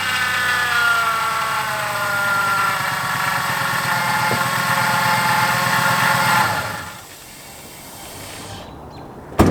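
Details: 2003–2011 Ford Crown Victoria/Grand Marquis idling with serpentine belt fitted: rough, gritty whir with metallic ringing from the belt drive, gone with the belt off; worn idler pulley and tensioner bearings grinding.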